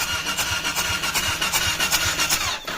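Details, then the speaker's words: Suzuki LTZ400 quad, working ignition switch from another bike fitted, battery hooked up, clutch sensor bypassed; uneven churning starter rhythm, about two to three strokes a second, no firing, no spark seen, wiring still being chased: cranking no-start, no spark. "I don't see anything so we still got to figure that out"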